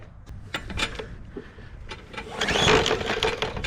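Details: Bolens push mower with Briggs & Stratton 125 cc OHV engine that ran last year, fresh gas, primed: a few rough recoil pulls spin the engine with no pop or catch; no spark.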